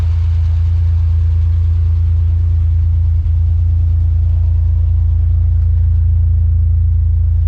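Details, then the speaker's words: 2012 Acura TL 3.7L V6 with catback exhaust and high-flow cats, just after an engine swap, idling cold with a deep, even rumble and no knocks or ticks. Normal idle. "so for rundown Mike's car we just changed the motor in it it's running good"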